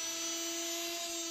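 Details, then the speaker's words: Sharp front-loading washing machine that won't spin and jumps to End; motor tested on the bench with stator wiring jumpered, spins both directions; steady high-pitched hum, smooth, no grinding; motor normal. "untuk dinamonya sudah bisa dipastikan dinamonya ini normal dinamo yang juga bisa berputar kiri-kanan"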